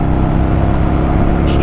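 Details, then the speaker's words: Yamaha Virago 1100 V-twin after carburettor repair (fuel level adjusted, emulsion tube O-rings swapped), riding on road at about a third throttle: deep even drone pulling steadily without stumbles; normal running under load, stronger than before. "oh oh yes oh yes back to normal the beast is back i think the transition between the idle circuit and and the the mid range and to the full is a little bit better"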